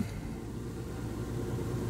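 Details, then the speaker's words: Hyundai idling after repair: quiet, low, even rumble with no ticks, knocks or starter whirr; the earlier noise is gone; engine idles smoothly. "so far everything sounds good I do a lot of things by sound"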